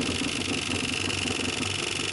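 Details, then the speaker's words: School bus conversion kitchen sink water pump running: steady high whine over a fast, uneven buzzing pulse; owner finds the funny noises odd, cause unknown. "Now my pump is running and you're gonna see that it's making some funny noises. I don't know why it does that."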